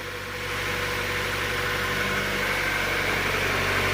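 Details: 1999 Mazda Miata, 160,000 km, after a no-start with spark but no fuel, fixed with a used fuel pump and sender unit: smooth steady idle with an even beat and a faint constant whine, no misses; running healthily.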